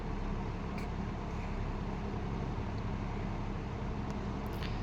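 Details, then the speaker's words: Late-1960s Eskimo 3-speed all-metal box fan on 120 V, low speed drawing 1.6 A: steady low hum with smooth even whoosh, no knocking; knob rattle and badge buzz noted; running normally. "This is a very nice low speed. I like the sound of it."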